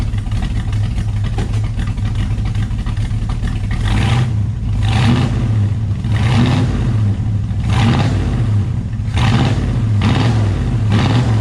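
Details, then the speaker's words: Ford XW GT Falcon with 351 Windsor V8 and Holley carb, after adjusting the accelerator linkage so the throttle butterflies open fully (previously only partly open, felt flat): deep V8 burble climbing cleanly through quick blips, crisp healthy throttle response; normal revving. "i feel responds much better so much so much less let's have a listen down here just"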